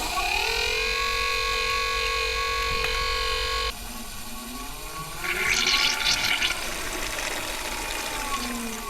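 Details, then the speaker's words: Boat's domestic water Marco bronze gear pump, running taps after repeated bleeding: a steady drone drops off, then turns into a wavering, hissy, sputtering tone. The pump's monitoring flags air being drawn into the supply. "The pump's monitoring has told me there's a problem. There's air coming into the pump. I've just got to find out where from."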